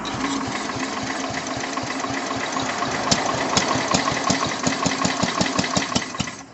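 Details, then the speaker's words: Old Sears Suburban 12 hp Craftsman tractor with new battery, started with carb cleaner; uneven popping bursts then dies, has spark, carburetor rebuild expected; sputtering start, won't keep running. "Well, it's trying. Give it a little more throttle. Give her another squirt. I'm probably going to have to do the carburetor on this thing."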